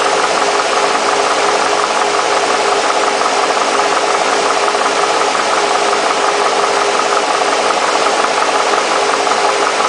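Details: Mercedes SL60 AMG V8: busy uneven idle with an irregular stumble about once a second riding on the engine note; rough idle, cause unknown.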